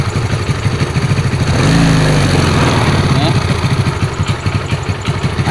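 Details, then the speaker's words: Yamaha Mio carburetor scooter after replacing worn camshaft, rocker arm and seized piston (caused by running low on oil), valve clearance reset; even single-cylinder putter with one brief blip, no knocking; smooth normal idle after repair. "dan coba kita hidupkan lagi nih suara sudah halus lagi"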